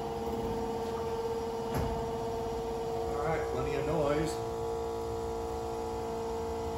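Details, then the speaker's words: 1974 Plymouth Duster 440 project, newly replaced electric fuel pump running: steady mid-pitched electric hum with no surging or rattle, fuel returning, about seven psi pressure, no leaks; normal operation. "all right nothing leaking on the floor and I can hear it returning we're right at seven pounds of fuel pressure so that's all good news"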